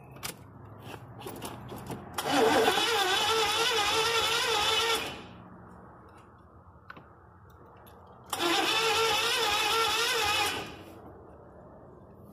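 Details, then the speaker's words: 1983 Chevy van, gas poured into carburetor for start attempt: two spells of steady cranking about three seconds each, never catches or fires; electronic spark module suspected and bypassed, distributor cap to be checked. "white well we can get no fire I'll distributor and I thought it might be the electronic spark throw so I bypassed it"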